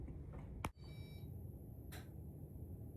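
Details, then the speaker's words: Electronic washing machine in a quiet room gives a short beep with nobody touching it; it sounds, starts up and makes noises by itself. "Non mais vous avez entendu ? Elle sonne toute seule. Elle se met en route tout seul, elle fait des bruits tout seul."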